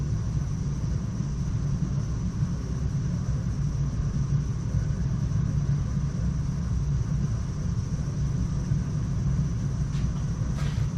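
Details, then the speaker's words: Weil-McLain EGH steam boiler with M+MG2 12-inch barometric draft control fitted; burner gives a smooth, even low roar with no pulsing, surging or flutter; flame operating normally. "if you listen you can hear the flame operating normally"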